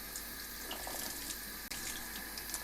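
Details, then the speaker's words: Kodak automatic dish siphon draining a print-washing tray after a strong blast of water to start it: continuous splashing flow with gurgling, pulsing surges and a brief gulp, siphoning steadily as it should. "yeah there and when you hear that gurgling that pulsing like that you kno"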